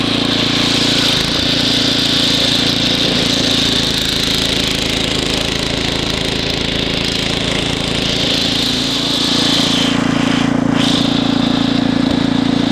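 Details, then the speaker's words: Ariens ST724 snow blower throwing snow in cold weather; engine hunted slightly until main richened about 1/32 turn, then smoothed. Steady, even beat under load, no surging or stumbling; smooth running. "I just barely turned it and the engine was hunting a little bit, and as soon as I turned it out just a smidge, it smoothed right out."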